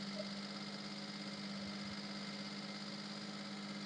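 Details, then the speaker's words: Maruti Suzuki Alto, engine bay, before repair: after start the engine stays raced at high rpm that should drop but doesn't, even after restarting; steady even hum at raised speed; high idle. "വണ്ടി start ചെയ്യുമ്പോൾ ഇങ്ങനെ raise ആയിട്ട് നിൽക്കുന്ന ഒരു feel ആണ് നിൽക്കുന്നത് ഇപ്പൊ ശരിക്കും ആർപിഎം ഡൗൺ ആവേണ്ടതാണ് പക്ഷെ ആർപിഎം ഡൗൺ ആവുന്നില്ല"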